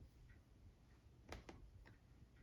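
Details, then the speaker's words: ORTUR Laser Master 2 Pro laser engraver homing: faint crisp ticks as the head reaches its corner, the limit switches clicking and stopping the axis quickly and smoothly; normal homing. "So here we're going to show you the beauty of limit switches, right? We're going to bring it home, and you see how quick it is actually and how smooth it is."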